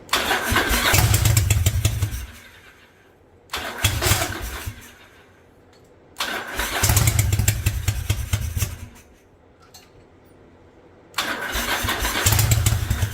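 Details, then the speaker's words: 1985 Yamaha Virago twin, single-carb conversion, on choke with old spark plugs: short ragged bursts that sag and nearly die, lumpy like one cylinder missing; owner suspects bad plugs, plans to fit fresh ones; not confirmed. "well I'm going to do this I think I'm only firing on one cylinder so I don't know if both these plugs are good"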